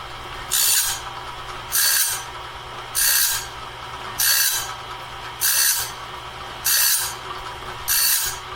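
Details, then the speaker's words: Clarke heavy-duty sawmill blade sharpener sharpening a 2-inch-wide, 223-inch bandsaw blade; steady rasping grinds about every 1.2 seconds, one per tooth, evenly spaced, indexing and grinding normally and leaving the blade fully sharpened. "Well, there we have it, folks. That's a blade fully set, fully sharpened, ready to go back on the sawmill to cut more lumber."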